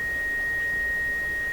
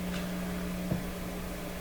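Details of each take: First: Seeburg SHFA1 stereo tube amplifier, first power-up with 6.3 V heaters applied, testing one channel: clean steady high pure test tone with no hum, crackle or wavering; channel passes signal properly. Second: Seeburg SHFA1 stereo amplifier at first power-up, one channel tested: a low, constant hum under faint hiss, appearing after a squeal; the hum varies with the volume control, and its source is not yet found.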